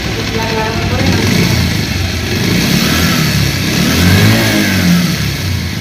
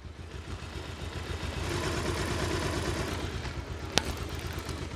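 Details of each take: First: Old second-hand Bajaj Pulsar whose sound changed and grew very rough when hot, despite earlier valve, timing chain and balancer replacement. A dry metallic rattle rides over the exhaust when revved. Worn cylinder and weight (crank) bearing noise, fixed with a new cylinder. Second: Old Bajaj Pulsar single-cylinder bike, bought second-hand, had a rattling hiss when hot; after balancer and valve adjustment, warm after a 10-20 km ride: even quick idle with no rattle or scraping; normal idle.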